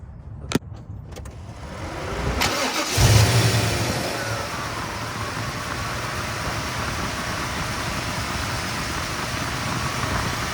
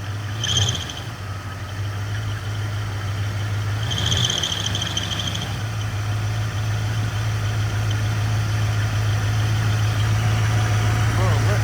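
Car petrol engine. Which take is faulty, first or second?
second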